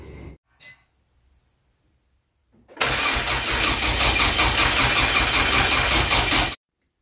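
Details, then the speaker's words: Citroen Saxo VTS Turbo project car, first start attempt after the starter was reassembled and bearing pressure backed off, battery assisted by a boost pack: brisk, even cranking about 160 turns a minute without firing, a healthy crank that wants to start. "it actually sounds like a start car that wants to start"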